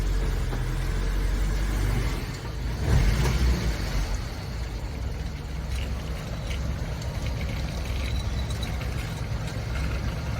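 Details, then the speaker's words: Truck started cold after 24 hours of curing an exhaust leak seal, about 80°F outside: brief throttle blip then low steady idle, no puffing or ticking at the exhaust joint; leak apparently sealed. "I'm going to start this thing up and see uh if the exhaust sounds any different got to give her some [Music] gas um I think it's a little"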